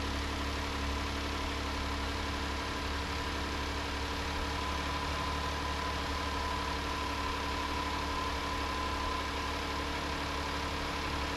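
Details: 2019 Hyundai Santa Fe XL 3.3L GDI, brief first start after new serpentine belt, before torquing the idler bolt: steady, even idle with no squeal, chirp or slap; belt drive sounds healthy.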